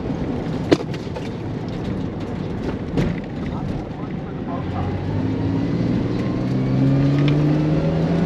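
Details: Chevy S10 with a 4.3 Vortec, during an autocross run: engine pulling hard under road noise with sharp pops cracking through; misfire because the distributor top plate failed and was slipping, and the distributor was then replaced.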